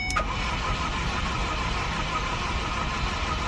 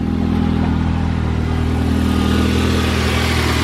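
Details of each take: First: Ford Focus, non-runner, cranking after pushing in a disconnected part: starter churns evenly for several seconds but never fires, fuel smell present; crank-no-start, owner suspects the disconnected part. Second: Ford Focus, idling on a cold morning just after first start, fixed by replacing the radio frequency sensor that blows a fuse causing crank-no-start: smooth steady hum, no misses, knocks or stumbles.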